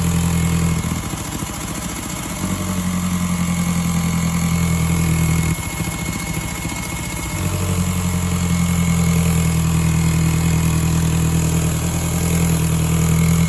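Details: 2002 VW GTI 1.8T AUM, 150 hp, 169,000 miles, cold start: idle surges and dips with an uneven stumbling misfire; owner suspects a leaking secondary air pump system, coil packs not yet changed; settles after warming.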